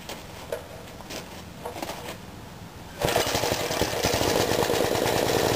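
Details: Mid-1950s Clinton 3 hp engine driving a belt-driven 110 V 60-cycle AC generator, cold start: a few pull-cord clatters, then it catches on one pull and settles into a brisk, even beat; healthy start.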